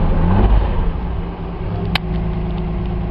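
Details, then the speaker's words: Restored 1968 Australian-built Toyota Crown MS55 just after cold start: steady raised idle, even and smooth with no misses or knocks; automatic bimetal choke holding revs up as it should, charging about 13–14 volts. "it just goes up now it's up around 80 when it's cold"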